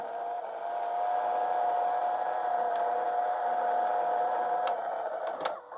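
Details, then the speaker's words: E-waste LG/NEC VCR: steady mid-pitched motor whine with faint ticks, then a clunk; stuck rewinding, tape not pulled around the head, stop and eject unresponsive; dirty mode switch. "It's trying to turn the tape, but it hasn't pushed the tape up around the head at all. And I can't seem to stop it."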